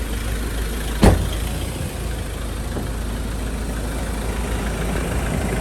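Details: 2013 Ford Ranger XLS 2.2L diesel, ex-mining truck, engine checked from the front: steady, even low diesel clatter at idle, no knocks or misses beyond one brief handling click; healthy idle, owner notes a past intercooler turbo hose leak.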